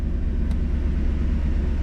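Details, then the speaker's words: 1991 Mercedes 500SL, 39,000 miles, warm at about 82 on the temperature gauge, in drive (should be about 550 rpm): steady deep rumble, idle hangs high before dropping back; owner blames heat and a sticking throttle linkage despite two new idle control valves. "to about at the 82 mark. There it goes back to normal. See how it's hanging up? Heat. Heat. Aha. Ah. Linkage. Ah, it's the damn linkage."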